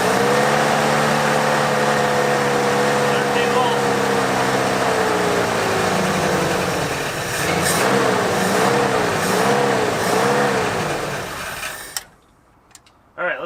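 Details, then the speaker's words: 1973 Ford Bronco 302 V8, revived after 10 years in storage: idle wanders and surges, running rough and unsettled; they suspect a vacuum leak, with timing and mixture screws still to set (timing later found way off). "ahead and check for vacuum leak and stuff because something's not happy"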